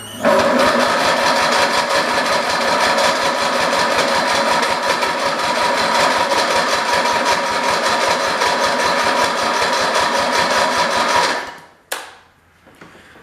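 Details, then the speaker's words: 1980s Husky garden tractor, free non-runner, fuel poured into intake, jumped from a 1973 tractor whose battery is dying: even cranking at about three beats per second that never catches; slow cranking from fading battery suspected. "me start the 73 because it sounds like it's batteries starting to die"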